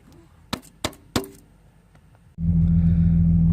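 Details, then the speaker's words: 2001 Jeep Cherokee XJ idling smoothly with a steady even low hum after three clicks, following new idle air control valve install fixing rough idle; still stutters on throttle, fuel filter suspected next. "the new iacv seemed to have fixed my rough idle but now when I give it gas it's stuttering so fuel filter is my next thing to do"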